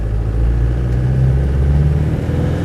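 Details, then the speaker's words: 1992 K-reg Land Rover Defender 110 County Station Wagon, 200TDi turbo diesel, one owner, under 100,000 miles, warmed up, pulling away in second: deep even rumble as the turbo kicks in, no knocks, rattles or smoke; healthy engine. "Feel the turbo kicking in there. There's no sort of unpleasant smoke now it's warmed up of any colour. Really, it just trundles along absolutely happily, no problem at all."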